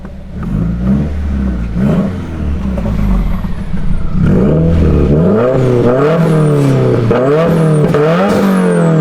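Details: Subaru after repair of its broken exhaust, new exhaust part fitted and still burning in: clean rising and falling revs, smooth deep exhaust note, no hiss, ticking or rattle; exhaust sealed and healthy, normal note.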